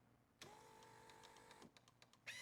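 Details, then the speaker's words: Overheated, partly melted BMW R1150RS with crank-no-start, key on: about a second of steady high fuel pump whine, a few clicks, then a short harsh ABS pump buzz; the fuel pump is getting power. Normal fuel pump prime and ABS self-test. "So you can hear the fuel pump at first, followed up by the ABS pump. Fuel pump, ABS pump. So the fuel pump is getting power."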